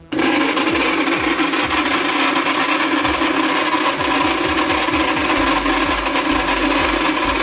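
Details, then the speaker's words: ARSHIA TURBO FORCE 3000 meat grinder with metal-gear gearbox, before repair; loud harsh grinding over a steady motor drone when switched on; dry, unlubricated gears grinding. "Hey friends, I brought my meat grinder in for repair. When I turn it on, it makes a loud strange noise."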